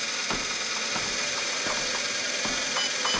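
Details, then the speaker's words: Sole F85 treadmill with over 3000 miles, after installing a new drive belt and adjusting tension, motor cover off. Started slow, then sped up with someone walking on it: steady hum with even light ticking and no grinding, running fine. "speed it up a little bit and everything seems to be going pretty good"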